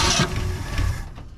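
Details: 1963 Mercury Comet 260 V8, first start since about 1995 after fuel pump diaphragm trouble: short burst of revs dropping to a low, fairly even rumble; running reasonably well, though fuel is leaking badly.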